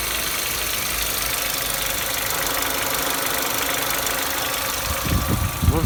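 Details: 2015 Nissan Almera G15, 111,000 km: quick light tapping like a loose nut over steady idle, keeping pace with engine, not heard at higher revs, worse after oil change; owner suspects hydraulic lifters, possibly cylinder 1, unconfirmed.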